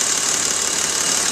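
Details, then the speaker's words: BMW converted to CNG (trunk tank, switchable), running on CNG at cold idle, hood open: fast, light sewing-machine-like ticking from the gas injectors, typical when cold and inaudible with hood closed; normal injector ticking. "it's cold and you typically can hear them when they're still cold a little bit you hear that sounds a little bit like a sewing"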